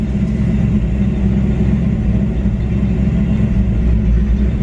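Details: 1994 Ford Mustang GT during OBD1 KOER diagnostic test for bad idle: loud low rumble with an uneven, lumpy pulse; rough idle, sounds like misfiring, cause unknown.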